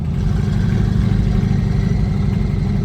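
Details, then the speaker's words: 1969 Chevelle with twin-turbo V8 and FiTech fuel injection, after pushing boost, oil on the windshield and a fireball; heavy V8 rumble with coarse rapid clatter; engine knock, cause unconfirmed. "I hear I hear a knock this what happens when two goons put together a twin turbo K that does not sound good"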